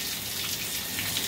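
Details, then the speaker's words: Water turned back on after replacing the busted Symmons valve: a steady hissing rush of flowing water with no drips or spurting. No leaks; the supply flows normally. "no leaks"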